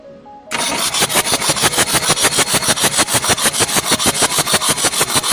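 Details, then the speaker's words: Diesel engine cranking steadily about three compressions a second with no firing; during starter test, none of the injectors spray (no fuel delivered), so it won't start; injector fault checked on the unit. "Satu pun injektor tidak ada yang menyemprot."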